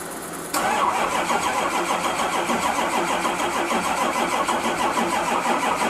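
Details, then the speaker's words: Turbo truck after a hot no-start repair, with a car hooked to one side and a charger on the other: laboured, uneven crank at about three beats a second never picks up; tired batteries suspected, not confirmed. "hopefully I can get enough juice to start it and I'm probably gonna have to get spend $400 on two more red top off the month"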